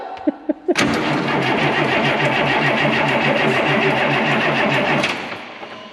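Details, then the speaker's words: DT466 diesel in M36A2 truck after starter replacement: steady fast cranking about four seconds with no firing, then stops; tank nearly empty with rusty fuel, likely lost prime, fuel starvation. "what's the fuel situation yeah the tank let me look back down in here it's probably lost its prime rusted fuel on that yeah so it's pretty empty"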